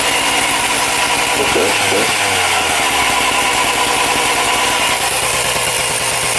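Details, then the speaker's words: Husqvarna 268XP two-stroke chainsaw, freshly assembled, started stone cold: screams at a high, wandering idle that never settles and differs every start; owner suspects cracked crank seals, unconfirmed. "to tell The Telltale of crack seals isn't it every time you start it up it's slightly different really high idle then"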